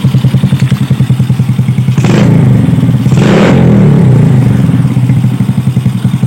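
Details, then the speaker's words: Yamaha Vega R with the engine hot: even thumping idle and two clean throttle blips that return smoothly to idle; seems fine now, carburetor suspected for the hot-engine fault. "elum menit besi mesin sudah panas ini tapi kayaknya sih aman Mas bener-bener karburatornya ini ya"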